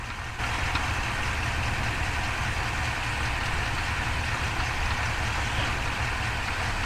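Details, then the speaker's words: Ford 7.3 F350 with 10-speed transmission, about 2,500–2,600 miles and no first oil change yet, idling with the microphone under the truck: a faint, fast, irregular knock under the drone; owner suspects the transmission but it could be the engine. "let me know if you can hear this knocking noise I don't know if it's coming from the engine or the trance"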